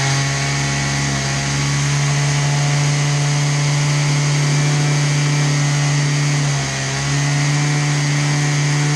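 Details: Husqvarna 223L trimmer after Zama carburetor rebuild, started unchoked on residual fuel: steady high-pitched two-stroke buzz at even speed with a brief dip; running normally.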